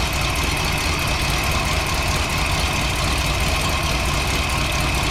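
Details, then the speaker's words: 1968 Chrysler Newport V8 with a newly installed electric fuel pump, regulator and pressure gauge: uneven, lumpy idle under a steady hiss, with fuel pressure only about 3 psi; rough idle from low fuel pressure. "it's only running about 3 lb when it's running Goose it up a little bit son just run it run it a little higher"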